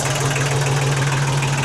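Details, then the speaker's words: 1991 Kubota L2050 DT tractor diesel, 35 years old, freshly started after clicking no-start, jump pack hooked up; steady low even idle, RPM low, no knocks, misses or hunting; normal healthy idle. "She started, guys. I turned the key a couple times, same just click, and then all of a sudden it started. Sounds great."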